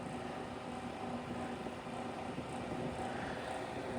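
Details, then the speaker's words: 1960s-70s Westinghouse Lively Aire 10-inch oscillating fan at speed: steady airy rush with a faint constant hum, no knocking; somewhat noisy but strong airflow, owner suspects dry-rotted rubber feet cause noise on the floor. "So it's on, and it's pulling out a pretty strong stream of air. It's a little bit noisy, but I would definitely sleep with this on."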